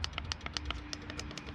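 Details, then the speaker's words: Wireless remote controller on the 1975 Chevy stepside diesel truck winch, wired per the directions: quick, sharp relay clicks, about seven a second, with no motor hum; controller clicks but won't run the winch. "I did wire it according to the directions. And I hear clicking, but it's useless."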